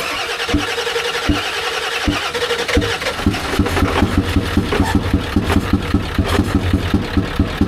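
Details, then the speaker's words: 7.3 Power Stroke diesel, Ford F350 dually: after cranking, settles into idle with a sharp, regular tick about three times a second; suspected bent or dropped pushrod, later replaced. "Alright, you guys, you hear that? I think it dropped the push rod."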